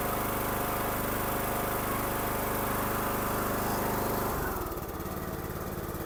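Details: Craftsman riding mower engine after fixing gas in the oil, with a new air filter, oil at full and started on choke: a steady, even drone that drops to a smoother, lower note as it settles; normal running.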